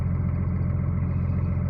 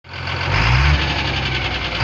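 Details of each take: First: Cummins diesel after reassembly with new conrod small-end bushings and new piston pins: steady, even low idle with no knocking or ticking; healthy after repair. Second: Cummins diesel settling into idle: dull, repeating knock under the clatter, traced to newly fitted connecting rod small-end bushings machined for new piston pins without proper knowledge.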